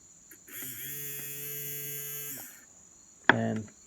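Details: Mercedes-Benz W126 passenger-side power mirror motor after the gear motors were disassembled and freed of the corrosion that had blocked them: smooth, even whir for about two seconds with no stalling or grinding, then a click as it stops; working normally.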